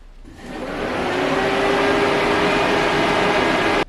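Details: Engine cooling fan commanded on via OBD-II scan tool actuation test: spins up smoothly to steady whoosh with even hum, no rubbing or rattle, then cuts off cleanly; healthy fan.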